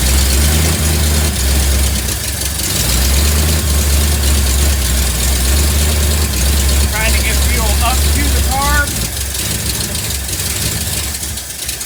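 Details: 1958 Ford F100 V8 after carb work and a fuel line replacement, with the fuel filter suspected as part of the earlier no-run; flooding, responds to timing: deep, even burble at steady idle, no misses or knocks; idling well.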